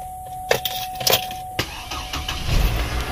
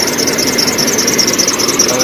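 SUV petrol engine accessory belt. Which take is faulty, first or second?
second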